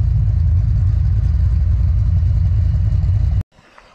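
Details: 331 stroker V8 GT, after diagnosing a failed brand-new part: deep lumpy idle with a steady choppy cam beat, no misses or knocks; healthy before shutdown.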